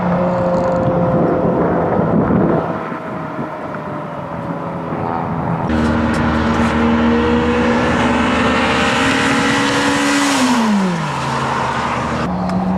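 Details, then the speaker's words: Toyota Celica GT-S with a repaired TRD muffler, pull then lift: engine note climbs steadily and drops off on lift. The exhaust stays subdued until past 4,000 rpm, with no rasp or drone. "So that was the TRD muffler, and it is actually really quiet. If you compare it to my Crolex RS and yeah, the muffler, the Celica muffler, it's quiet."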